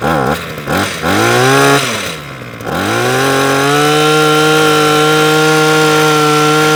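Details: Parkside (likely SK1E34F-LD) petrol hedge trimmer that keeps cutting out, primed with about 15 purge-bulb pumps and choked; revs, sags and hunts unevenly before a high steady buzz; fuel starvation from hardened carb metering diaphragm and blocked fuel screen.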